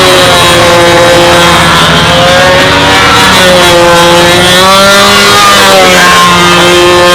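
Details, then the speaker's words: RC model airplane engine on takeoff, set very rich to get lap times right with this prop: buzzing note wanders and sags unevenly, rumbling and stumbling; rich mixture, prop pitch to be reduced. "I went back and forth with this prop on 3 or 4 different flights, and to get this lap times right, I had to run it so rich that you can hear it rumbling and stumbling on takeoff."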